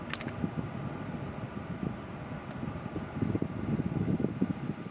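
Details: 2006 Toyota Tundra, original engine, about 586,000 miles, AC check at standstill with engine idling: steady fan rush over low engine hum, even, no squeal or cycling clatter; air conditioning operating normally.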